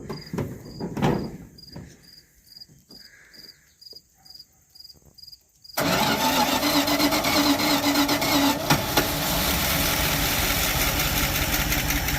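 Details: Abandoned 1973 Dodge truck with points ignition, unstarted for about 20 years; warrantied starter fitted, gas poured in, points not cleaned. A few clanks, then it cranks briefly and catches cleanly into a steady, even run. Healthy start.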